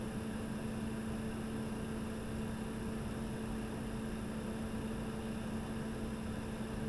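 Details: Diesel parking heater after repair for smoking (new fuel pump and filter, cleaned), warmed to normal temperature, microphone inside: soft steady hum with faint even tone, no rattles or ticking; running quietly and normally.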